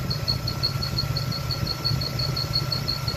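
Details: LT1 engine at idle: high, thin chirping squeak about three times a second, began after a new fan clutch was installed and stops when the clutch engages; found to be a bad fan clutch, mechanic suspected water pump.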